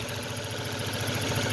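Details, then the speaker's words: 2006 Ford Focus with new plug cables and coil pack still shaking: idle loping with uneven, stumbling pulse as a cylinder drops out; pressing the coil pack connector smooths it, releasing brings shaking back: broken connector wiring. "At makikita nyo dyan, nagsishaking yan, pero pag itulak ko siya dito, itulak ko yung connector, like, kita nyo, tumitining yung tunog, walang shaking. Ngayon pag bibitawan ko yan, shaking yan. So dito ang sira, bad wiring, no?"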